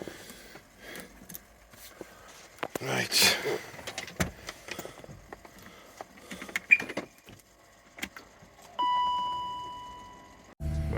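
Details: Range Rover L322, 4.4 V8 BMW M62, 104,000 miles, battery charged overnight: at startup one clear bell-like chime with transfer box neutral warning; stuck in neutral, no drive, later fixed.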